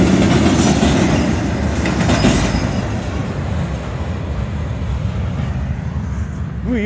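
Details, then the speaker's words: Southbound CSX freight train picking up speed past a crossing: irregular clacking about three per second under the rumble, fading as it passes, like wheels hammering rough rail; observer suspects a bad spot in the track, unconfirmed. "I'm wondering what's making that. There's like a bad spot in the track or something."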